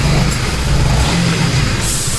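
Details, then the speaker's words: Honda CBR 150R Repsol after repair: torn radiator rubber mounts let the iron guard knock on aluminium, causing noise; fixed, smooth steady note rising slightly and settling, no tapping or rattle; runs cleanly. "অবশেষে complete হয়েছে মোটামুটি, এখন sound আর নাই। Test করে দেখাচ্ছি আমি, এই start দিলাম, যে একটা এক্সট্রা সাউন্ড হয়তো নয়েজ, সেটা আর হচ্ছে না।"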